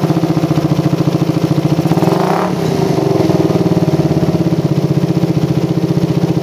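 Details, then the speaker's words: Motorcycle with PWK carburetor and racing exhaust, after air screw reset to about 2.5–3 turns: quick, even exhaust pulses with a steady idle, and a light throttle blip picks up cleanly; helicopter stutter gone, normal idle. "nah hasil setengah setting angin idealnya stabil banget guys ini udah layak untuk digunakan sehari-hari terus barusan dicoba digas sedikit udah nggak ada brebet helikopternya udah benar-benar hilang"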